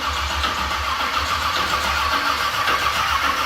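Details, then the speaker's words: 1978 Ford Courier with a 351 V8, not run in a while and with carbs likely dry (no fuel smell, accelerator pump not squirting): the starter cranks steadily and evenly but the engine never fires. Crank, no start. "yeah this thing hasn't been running a while that hood sure bounces that's spooky I'm going to imagine the carbs were completely dry yeah I don't even smell fuel yet"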